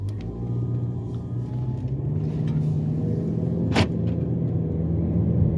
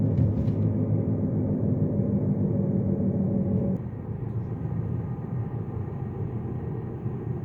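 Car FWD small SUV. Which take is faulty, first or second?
first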